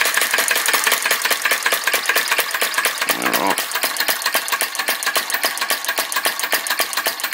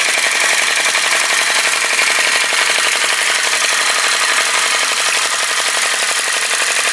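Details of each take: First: Retro VE-01 crossbeam flame licker vacuum engine, alcohol-fired: quick light clicking about four beats a second, uneven and briefly stumbling. Runs weakly, flame keeps blowing out; wick set too low, to be pulled out for a bigger flame. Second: Retro VE-01 crossbeam flame licker vacuum engine after pulling the wick out for a bigger flame: crisp, even popping about four beats a second, steady with no misses. Running smoothly, sounds better straight away.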